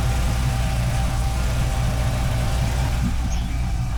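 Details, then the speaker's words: MerCruiser Bravo 3 boat engine started after power steering cylinder replacement to circulate the oil: a steady, even low idle under the pump's faint hum, with no whine, groan or knock. Normal idle, with the steering hydraulics sounding healthy. "All that's left now is to start the system, so the power steering pump begins circulating the oil. Let's fire it up. The pump is running."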